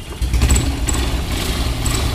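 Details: Hero Impulse single-cylinder motorcycle after full service; smooth even low idle with steady thump, no ticking, rattle or chain slap; normal idle.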